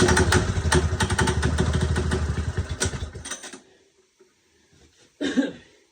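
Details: Small single-cylinder engine after carburetor rebuild and stripped bowl bolt repair: catches and runs with quick, fairly even putter a few seconds before shutting down; sounds healthy.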